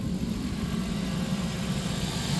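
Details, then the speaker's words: 1997 Dodge Caravan LE after water pump, pulley and belt work, coolant refilled, heater on max: even low healthy idle with steady rhythm and no whine, squeal or knock from the front. "look at that no noise nice job nice job that turned out great"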